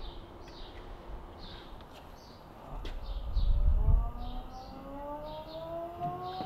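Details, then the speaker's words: Ford Fairlane with the power steering pump replaced by an Astra electric pump, first start after install. A low bubbling rumble, then a thin whine climbing in pitch as it primes. Normal priming. "It's bubbling. It's doing something. Holy crap, that's scary. Well, it's working. What the hell? Why is it so loud?"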